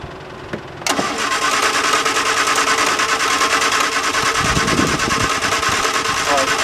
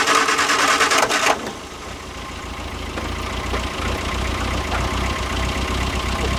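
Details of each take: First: 1973 MG Midget unused for over 20 years, SU carburetors cleaned, first crank: the starter churns the engine over at an even, quick pace but it never fires. There is no spark, so the points are to be cleaned. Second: 1973 MG Midget off the road over 21 years: starter churns briefly, then the engine catches and settles into an even, steady idle; starts and runs normally.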